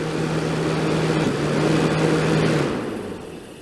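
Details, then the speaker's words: 1989 Crest (Fedders) 5000 BTU Carry Cool on high cool, drawing about 575 W: a steady low hum with a soft R22 hiss, compressor running smoothly on a full refrigerant charge; the unit is healthy. "Hear that R22 hissing around in there. It's a full charge on it."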